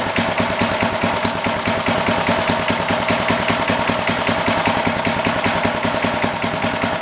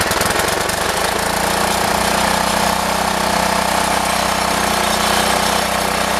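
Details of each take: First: Old rototiller, guessed to be from the late 1960s or 1970s, with a Briggs & Stratton single-cylinder engine idles with a steady, even putter around 150 beats a minute, no misses or knocks; healthy idle. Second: Rough-running Briggs & Stratton single-cylinder engine on an old 1960s–70s rototiller: chatters with a ragged, uneven beat and no steady rhythm; carburetor needs cleaning and adjusting.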